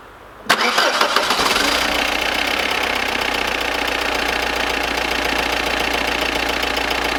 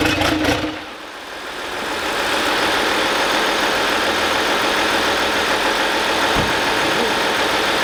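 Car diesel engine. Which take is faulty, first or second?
second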